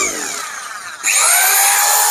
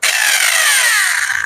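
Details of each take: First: Serviced hammer drill, bearing replaced for a harsh grinding noise, switched on and off: spins up to a steady high whine, stops, then runs evenly with no grinding or rattle. It works well after repair. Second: Hammer drill run with its bearing removed, originally brought in for a grinding bearing-type noise: harsh gritty rasp over high motor whine falling as it winds down; worn armature pinion and gear not meshing.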